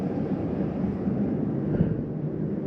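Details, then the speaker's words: 2024 Jayco Melbourne Prestige 24LP motorhome furnace turned on by raising the thermostat; blower spins up to a steady low rushing hum at even speed, no rattles or squeal, normal. "Now let's go and crank up the furnace instead. Turn the temperature up. You hear that crank up from here."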